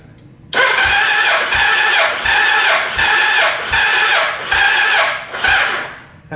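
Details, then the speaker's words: Gen 1 Suzuki Hayabusa during compression testing after cam chain replacement: starter labours through about six slow, heavy compression pulses at roughly one a second and fades; slow cranking from a run-down battery. "Okay, now we've run the battery down. And you can't do a decent compression check with the battery so low. But the fact that it's turning over so much harder is actually pretty encouraging."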